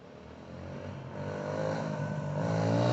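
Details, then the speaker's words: 2004 Suzuki DR-Z125L: single cylinder revs up smoothly with even firing and no misses, knocks or rattles; sounds good, though the owner suspects the idle hangs a little high. "it's not bad no it's not bad at all"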